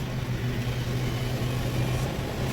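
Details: Ford EcoSport 2016/2017 petrol, idling and pressing the accelerator: low, rough, jerking misfire, engine won't rev and lacks power. Code P0302 cylinder 2 misfire, check light on; the engine later stalled.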